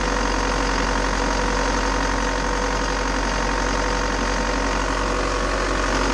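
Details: Bobcat T590 diesel after water pump replacement (old pump bearing failed, seal leaked coolant), coolant topped up, warming toward thermostat opening, no leaks: even diesel clatter at steady idle, no misses or knocks; healthy.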